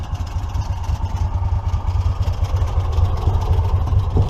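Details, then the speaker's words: 2006 EZ-GO ST 4x4 utility vehicle, 614cc V-twin Honda GX610, under 600 hours, just started on choke at about 50°F, choke released: rough uneven low thrumming idle, about three pulses a second, with loose rattling from the CVT clutch weights when not idling properly. "That noise is just the CVT, the weights in it when it's not idling properly."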